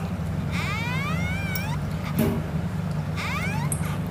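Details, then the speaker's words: Royal Enfield Interceptor 650, front end: chirping squeaks warbling up and down in pitch, in bursts over low road rumble; not from the brake caliper; traced to inside the speed sensor/speedometer drive. "यह आवाज इसके जो speed driver जो speed sensor है उसके अंदर से आवाज आ रही है"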